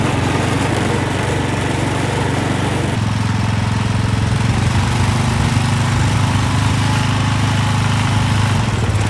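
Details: Massey Ferguson 7 lawn mower, long-sitting, running, driving; owner thinks it needs piston rings: low steady single-cylinder thump with slight load change partway, pulling normally; normal running.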